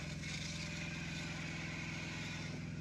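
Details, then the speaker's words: Truck APU diesel running at constant speed, temporary fix on: steady chug with faint hiss riding over it from the belt; drive belt noise to be shown to the dealer, coolant leak also being checked. "One reason why we're going to Thermo King. Yeah, we need to show them about the belt spiller, too. Yeah, that's the biggest issue."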